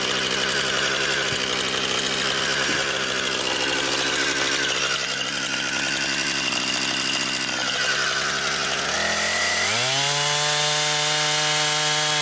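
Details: Brand-new Husqvarna 460 Rancher chainsaw, first run, cutting pine firewood. Bogs into a rough, raspy cut, then clears and screams up to a clean, steady high rev. Strong, healthy saw cutting normally.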